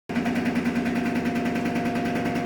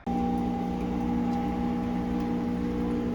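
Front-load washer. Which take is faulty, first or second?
first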